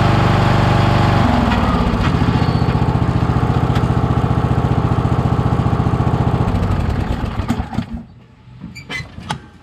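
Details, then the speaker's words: Toro LX460 (MTD-built) lawn tractor with Kohler engine and CVT variable-speed transmission, rear jacked up, camera underneath: rhythmic kicking/thumping just under four per second, then winding down; owner suspects loose long drive belt on the right side vibrating. "uh there was a noise where it was kicking right i was wondering what that noise was but watching the video it looks like the belt was loose you know the long part that goes on the right side that vibrates"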